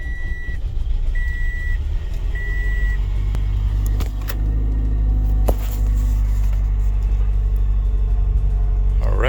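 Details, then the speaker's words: Car jump-started with a Lokithor jump starter at 12.6 volts: a few short beeps, then the engine catches and settles into a steady low rumble; it started cleanly and runs fine. "so as you can see the car successfully started"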